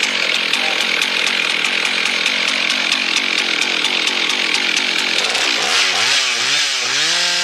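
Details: Husqvarna 1100 four-stroke chainsaw, previously stalling with low chain oiling, now sorted: steady high-pitched buzz through the cut without bogging or stalling, revs drop cleanly as it comes free.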